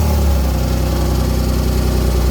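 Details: BMW E36 328i at idle after exhaust work for its pop-and-bang setup: steady, even low idle rumble with no misses or hunting; the engine runs cleanly and smoothly.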